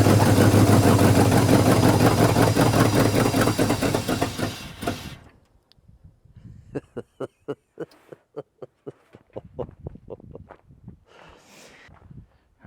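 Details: Scrap-built carbureted gas dump truck, first start in a long time, carburetor seemingly leaking, fed a little throttle: loud lumpy choppy running about five seconds, then dies. Owner suspects ignition timing slightly off or aggressive cam; unconfirmed.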